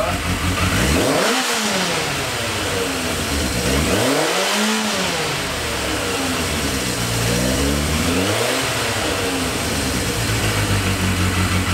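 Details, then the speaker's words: Yamaha XJ650 cafe racer four-cylinder, after adjusting the idle screws across the carbs and replacing a split vacuum line to the tank (it spluttered before): smooth blips dropping back to a steady, even idle with no misses. Normal running. "so there we have it guys I think we got really really lucky there the bike seems to be running quite alright to me that sounds very promising"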